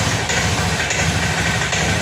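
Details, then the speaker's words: Honda Scoopy fuel-injected scooter: at idle it sputters unevenly with no steady rhythm and dies when throttle is opened; rough idle, fuel pump suspected first. "di sini bbetbet pak ya ketika langsam ini berebet tidak normal saat dipaksa digas ini malah mati"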